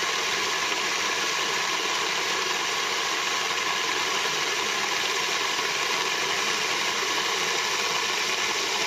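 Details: Moulins d'Alma individual stone mill grinding grain for wholemeal flour after sieving out straw particles: steady even rushing grind, no knocks, chatter or surging; normal grinding.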